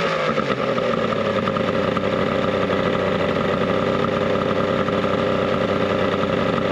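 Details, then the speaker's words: 70HP two-stroke Mercury outboard on a 1967 boat, running after the carbs were cleaned and before the impeller was replaced; the water pump is suspected bad and the engine is a little warm. Steady, even buzz at constant speed, no misses or knocks: healthy running. "[Applause] that actually sounds healthy how hot are we oh not too bad a little warm"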